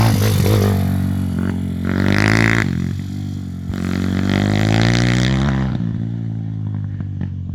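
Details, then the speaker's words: Z160 engine in a CRF50 Chinese-frame project pit bike on its first test ride: revs rise and fall with uneven crackling on the overrun. Owner suspects the exhaust is coming loose at the manifold; not confirmed. "That is poppling and a cackling away. I think the exhaust might be coming loose at the manifold."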